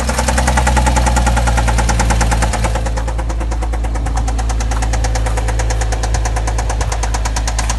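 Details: 2007 Porsche Cayman idling: quick even ticking about three a second over a steady low hum; owner asks about the noise, cause unconfirmed.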